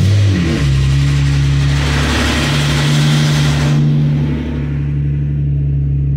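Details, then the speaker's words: 2007/2008 Hyundai Azera 3.3, cold start after two weeks parked: a hard, rapid, machine-gun-like metallic rattle over the idle for 5–7 seconds, then it stops; CVVT cam phaser rattle. "aquele esquema né 5 7 Segundos de de tortura esse barulho de metralhadora mas depois você vê que para"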